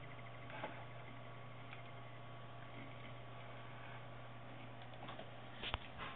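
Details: Tagan Piperock BZ-700 PSU after two years of use (i5 2500K, P8P67 system): steady low hum with a thin constant high-pitched squeal/whine; power supply whine, cause not confirmed.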